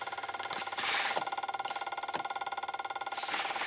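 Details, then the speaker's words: 1995 Dodge Ram 2500 V10, cold no-start in cool weather despite many replaced parts: with key on and engine off, fast uneven clicking about three to four per second; ASD and fuel pump relays apparently chattering rather than holding in, cause not yet found. "Something's clicking in here. This is bizarre. So, ASD relay and the fuel pump relay are starting to wake up, I guess."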